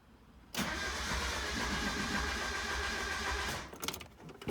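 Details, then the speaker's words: NA Mazda Miata with a variable valve timing setup whose cam bolts were left untorqued: the starter cranks unusually fast and high-pitched with no compression, after the exhaust cam timing slipped. "it started making the noise that i'm accustomed to hearing when you get bent valves and that's when the car starts and it cranks really uh quickly and a higher pitch than it normally does you know when it has no compression"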